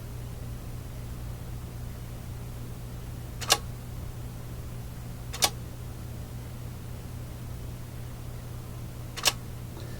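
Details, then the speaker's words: Fleetwood 660 record player changer: steady motor hum with sharp isolated clicks seconds apart; trigger fires but rest of mechanism doesn't follow, reject button operates nothing. "the triggering mechanism is triggering the rest of the mechanisms not following along the reject button isn't causing anything to operate either"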